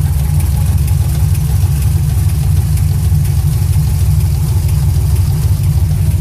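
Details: 2006 Chevrolet TrailBlazer SS V8 at idle: deep, lumpy rumble with a light, fairly regular knock about three times a second; engine knock, cause not identified.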